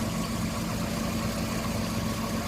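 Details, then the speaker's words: 1995 Nissan Pickup 3.0L, which had been cutting out once warm, after PCV valve replacement and cleaning: idle screw turned all the way in, and the idle drops to just under 1000 rpm. It holds a steady, even, smooth low drone with no misses or knocks. Normal idle. "screw it all the way in let's see what happens oh yeah it's sunk in there now it is idling lower now"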